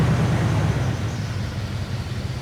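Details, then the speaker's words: 1979 Jeep Cherokee started after sitting 21 years, on fresh fuel and starter fluid: low, steady, even idle with no misses or knocks, sounding pretty smooth; normal idle. "All right, we're running. That's actually sounding pretty smooth. I'm happy with that."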